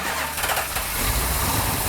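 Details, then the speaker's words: First start of a freshly built Mopar V8 with a big Comp Cams street cam and Edelbrock parts, started by remote starter in neutral; a brief crank, then it catches immediately into a lumpy, deep, choppy idle; healthy start. "Hey! No way, no way. Can't be that easy, right? No. Wow. Wow, that started right up. Nice."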